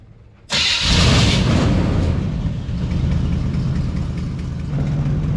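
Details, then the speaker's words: 1973 Chevrolet Chevelle Malibu after an electric fuel pump repair and fuel gauge repair, returning from a road test: catches instantly, revs, then settles into an even, steady idle with no misses or knocks; sounds good. "there we got her we just had to get her lined up a little better beautiful sounds good"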